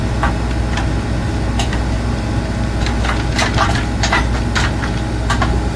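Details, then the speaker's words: Cornelius ice maker, newly installed, on initial startup: irregular cracks and clattering drops over a steady hum as ice releases. The ice maker is harvesting normally. "You can hear it dropping. I just want to make sure it's dropping correctly. Okay. So, now you can see it's starting to drop."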